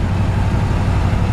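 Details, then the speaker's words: 1954 Ford F-100 V8 driving under load: deep even rumble at steady throttle, no misses or knocks; engine runs strong. "The neighbor ladies get a little upset with me, but you can hear the engine run strong. Transmission shifts perfect."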